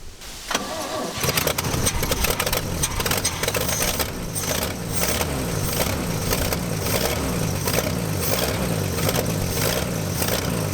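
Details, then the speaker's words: Chevy C10 pickup first start after sitting for decades, broken exhaust manifold bolt: harsh, ragged idle with irregular slapping and clatter as the alternator belt shreds on a badly misaligned pulley. "we shredded the alternator belt that's what happened that's okay we didn't need that anyway"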